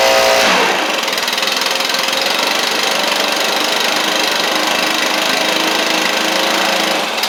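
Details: Stihl BR700 backpack blower first start after a carburetor swap, after some choke adjustment: a steady high buzzing two-stroke with an even drone, no misfires or surging, settling as it warms; running normally.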